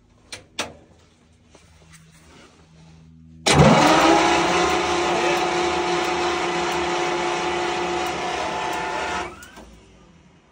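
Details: Centurion ARV winch engine after battery change: about six seconds of steady starter cranking with a whirring drone that never catches; cranks but won't start.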